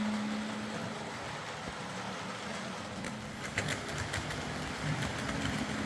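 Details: Old Hornby R751 Class 37 model locomotive after repair, wheels cleaned of corrosion with a rotary tool and brass brush, body refitted, on track: light, even motor whirr with soft rail clicks at a steady pace; normal running.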